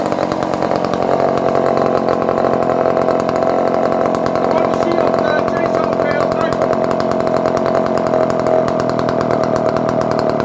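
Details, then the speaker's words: Circa-1970 barn-find Dolmar 118 Super chainsaw, cold started with choke after a few pulls: high steady two-stroke buzz at constant speed without stumbling or surging; runs well and oils, idle somewhat rough. "Okay, it's a couple of pulls and it's running already. So I think that we get the spark."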